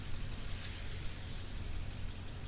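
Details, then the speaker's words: Modified 2010 BMW X6 at pre-purchase inspection, engine idling: steady even idle with light fast injector ticking on top, no deep bottom-end rod or crank bearing knock, no sticking lifter; normal idle, sounds decent. "as far as any deep metallic noises like uh the the lower end you know rod bearings or crank crankshaft bearings not hearing nothing there nor on the top side like a like a sticking lifter or not so as of right now some sounds uh decent"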